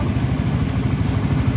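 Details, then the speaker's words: Yamaha Soul GT 125 scooter that came in with a sputtering, hesitating, powerless throttle, after repair: even low putter at idle with no stumbles or misses; throttle now clean. Normal idle. "nah disini gasnya pun itu sudah plong dan enggak ada sendat ataupun brebet brebet nya lagi"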